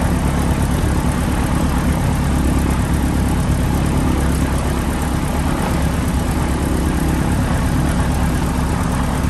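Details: PA-18 Super Cub Lycoming O-320 flat-four, first start after reassembly, idling: steady, even low rumble with no knocks or misses; oil pressure came straight up, healthy.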